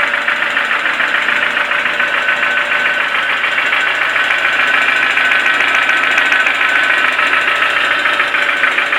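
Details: Toyota 4E-FE engine at idle: steady, sharp metallic knocking about three or four times a second; internal engine knock, cause unknown.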